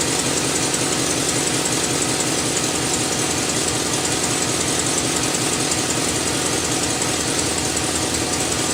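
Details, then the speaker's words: 6.0 V8 Chevrolet Silverado after water pump replacement, idling while burping coolant: loud busy idle with rapid ticking puff through the hiss; exhaust manifold leak. "I can hear it. I got an exhaust leak. It's from the manifolds."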